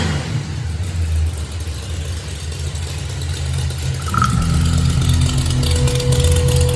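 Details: Ford Mustang Fox Body V8 after a seam repair: rough idle with a raspy puffing edge rising with revs; exhaust leak traced to the rear exhaust blown out on one side.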